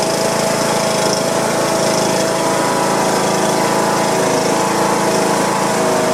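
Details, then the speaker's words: John Deere lawn tractor Briggs & Stratton single-cylinder engine after replacing a broken push rod and adjusting valve clearance, oil degreased off; steady putter at constant speed, no knocks, misses or rattles, healthy idle. "put it all adjusted the the valves and it looks like it's running pretty good"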